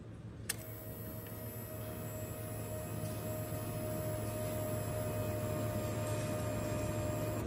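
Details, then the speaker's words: Yamaha Y15 after fitting an NLK 3.6 bar fuel pump: at key-on a steady, even electric whir holds about seven seconds then cuts off; normal priming, louder and longer than before. "Wah, dia lebih kuat. Fuel pump tu dah lebih lama dia pump minyak."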